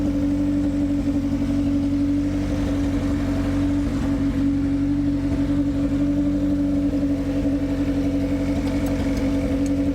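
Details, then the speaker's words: 1991 Civic with a freshly installed B18 engine, OBD0 starter and alternator and OBD1 distributor, run after replacing the fuel pressure regulator and fixing the injectors; it starts by jumping the starter signal wire. Steady, even idle with no misses: normal idle. "if I jump that wire it does start right up and run just fine as you can hear"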